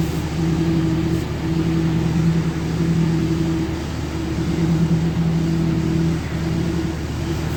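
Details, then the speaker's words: 2003 Dodge Ram 3500 dually diesel idling after fluid refill: steady low idle, faint pump hum rising and falling as the wheel is turned; power steering now working, no leaks or funny noises; steering pump working normally. "Well, that seems pretty good, I'd say. I don't see anything leaking, no funny noises."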